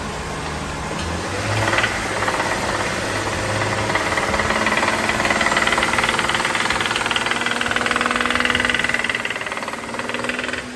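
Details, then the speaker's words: BMW 535 in for check engine light, revved: loud rapid metallic knock rising with throttle, from connecting rod and crankshaft; crankshaft found badly scored on teardown; owner says noise went on a long time. "哒哒哒哒哒哒哒，老吓人了。这个车子呢，它是来检查发动机故障灯亮的。然后呢，我踩了一下油门，声音这么响，客户隐瞒了这个异响的问题啊。"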